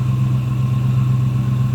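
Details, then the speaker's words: 1965 Ford Mustang convertible, C-code 289 V8 with automatic, idling under the hood: steady, even low rumble with no knocks or misses; smooth running 289, healthy normal idle. "Smooth and running 289, as you can see."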